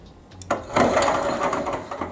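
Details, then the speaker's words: Electric self-propelled forklift pallet truck after repair: a brief, smooth, mid-pitched whir as it now drives forward as well as in reverse, no grinding or clatter; drive motor works, earlier fault cause unclear. "то она теперь тоже едет. В общем, сейчас она работает."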